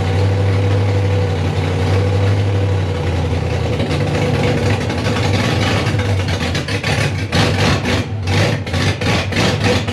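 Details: Rebuilt 5.3 V8 in a 260Z at first start, 80 psi oil pressure: a deep rumble turns choppy, with lumpy pulses and dropouts, a heavy lope and misfire; won't idle, cause unknown, computer to be checked with HP Tuners.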